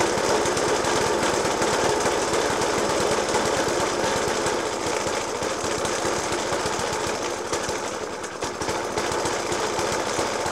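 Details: Suffolk Punch 30S, 1991 era, Dellorto FCH 20 carb; after new spark plug, decoke and carb clean, still loud uneven banging three or four times a second over a ragged, hunting idle; cause not obvious.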